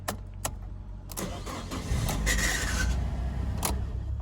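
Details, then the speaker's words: Salvage Ford Ka Zetec at about 88,733 miles: a short harsh whirring crank with a sharp click at engagement, then the engine catches and runs. The owner attributes the noise to the starter motor and plans to replace it. "Did you hear that? So that is the starter motor. So we've got to change the starter motor on this."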